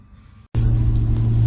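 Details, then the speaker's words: VZ Commodore 6.0L V8 after a faulty fuel pump was replaced, fixing a P0300 random misfire and a lean bank. Deep, steady rumble climbs smoothly with revs; runs clean with no misfire. Normal running. "here is a video of it running out oil and a few revs just to show it's running perfectly now"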